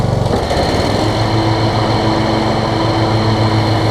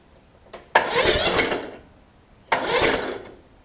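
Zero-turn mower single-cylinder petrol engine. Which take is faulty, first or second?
second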